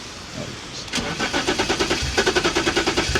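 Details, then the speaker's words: BMW E34 non-runner: catches after cranking and stumbles with uneven, lumpy firing; rough running, seems to over-fuel. Suspected timing problem or faulty coolant sensor, which was disconnected to test; unconfirmed. "Yeah, I think something's definitely off with the timing. Um sounds like it's over-fueling, so I just quickly disconnected the coolant sensor."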